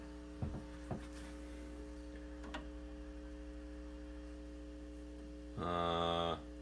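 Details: Silverface Fender Bandmaster, believed 1972, with customer noise complaint, taken out of standby: steady low buzzing hum with stacked overtones and a brief louder burst near the end, measured about 60 Hz; faulty normal-channel input jacks diagnosed as cause.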